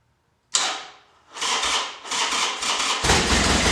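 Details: Flood-damaged 2011 Harley-Davidson XR1200X, 128 miles, new battery, fuel drained and refilled fresh, no water found at plugs: sharp crack, then the twin catches, stumbles through a few blips and settles to a steady throaty run; engine starts and runs.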